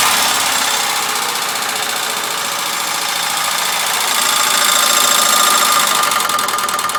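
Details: Ford Sierra 2.0 OHC carburetted engine at idle: sharp, regular knock about four times a second; engine knock, cause undetermined.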